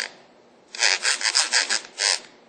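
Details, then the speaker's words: 1999 Ford Ranger 3.0, about 62,000 miles: removed camshaft synchronizer turned by hand gives dry, raspy squeaks from a worn bearing; squeaked every morning at startup and set camshaft position sensor code; replaced with new unit. "That's squeaking. I was hearing that every morning at startup. New one does not do that."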